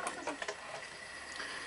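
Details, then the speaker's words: Sony SL 5000 VCR: after unplugging the capstan speed-sensing wire, the motor goes from slow, sluggish stop-start running to a steady high whine pinned flat out with no speed control; capstan motor overspeed. "you can now see the Capstone is just going like hell now why is it going like hell because there's no speed control"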